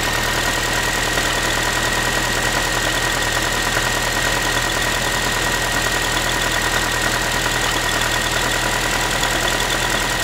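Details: Ford Focus 3, 1.6 (125 hp) engine at steady cold idle after a cold start: a fast tinny, tin-can metallic rattle riding over the engine note; source not pinned down, owner asking what it is.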